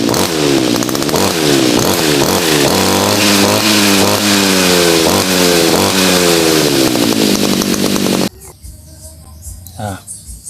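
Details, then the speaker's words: Tuned two-stroke brush cutter, adjusted for roughly half the fuel use (about a rai cut per litre): revs up and drops back crisply on each blip, clean and strong without hesitation; normal running. "ก่อนอันนี้คือแต่งมาแล้วนะครับปรับจูนมาแล้วตัดหญ้ามารองมาแล้ว"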